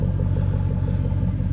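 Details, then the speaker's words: Truck after a Silverado transfer case swap and a welded-in custom exhaust: deep, even tailpipe burble with steady low pulses and no rattles, leaks or ticking; healthy exhaust note. "but listen to that thing it just sounds so much better"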